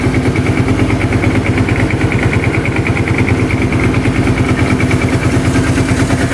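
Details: 2005 Kawasaki Prairie 700 twin ATV, airbox off: even, quick thumping idle holding steady without stumbles or misses. Normal idle; the breather blows air, no oil.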